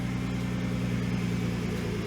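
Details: Nissan GT-R R35 just after fitting twin ANSU 330lph fuel pumps in a Visconti Tuning drop-in fuel basket: a smooth, steady low idle with an even pulse and no ticks, misses or whine, a normal idle.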